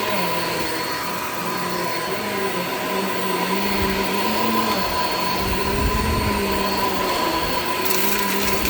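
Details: Shark Infinity Pet Care vacuum vacuuming a living room: steady motor whine with a wavering lower tone that sags and recovers; very old slipping brush roll belt letting the roll stall many times, needs replacing.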